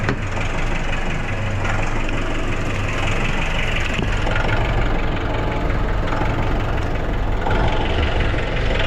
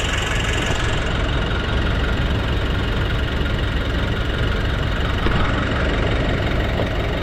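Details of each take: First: Nissan NV350 diesel idling with a deep clatter, the RPM hunting up and down. It has low power and smelly smoke, but revs strongly. Cause unconfirmed. Hunting idle. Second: Nissan NV350 diesel after replacing the suction control valve, cleaning the EGR and intake manifold, and relearning: steady, even idle clatter with no hunting or breathing in the revs; the earlier surging idle and low power are fixed.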